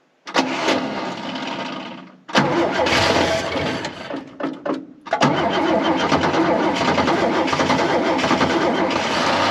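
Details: Chrysler CM Valiant starting for the first time after long storage, with fuel added: long crank, coughs and stutters, then catches and runs raggedly, "like an old tractor."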